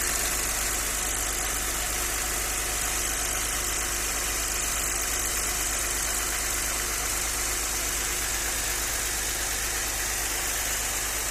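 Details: Audi 100 C4 2.6 at idle: quick, uneven tapping over the engine note, close to three taps a second; owner asks what is knocking, cause unknown.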